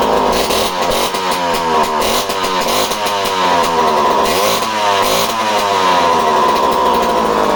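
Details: Homelite C51 chainsaw previously reported non-running, fuel added, needles at base factory settings, spark confirmed: buzzy two-stroke fires, runs and revs up and down cleanly without sputtering; saw runs properly.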